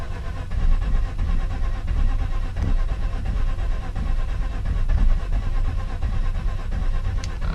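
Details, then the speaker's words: Mazda RX-8 rotary parked for at least a month, cranking during the de-flooding process while feathering the throttle: uneven low cranking rumble that surges and stumbles but never settles into a run; flooded engine. "you let it sit for a month you it's gonna be flooded which only that long it shouldn't be that bad"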